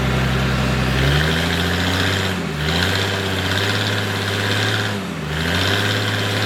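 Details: Military surplus forklift with carburetor, running after the fuel pump was bypassed and the fuel line run direct to the carburetor; steady mid-pitched note dipping and recovering every few seconds under load, otherwise even; it runs and drives normally.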